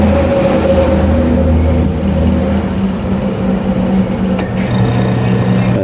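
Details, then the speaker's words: Noisy washing machine, motor tested alone on the timer with the gearbox belt removed: steady low even drone, no knocking or scraping; motor healthy, no ground fault, forward and reverse fine; the gearbox is faulty and is to be replaced. "So ita-timer natin dito. Pag tinimer mo yan, sinaksak natin dito. Ayos pa yung motor niyan."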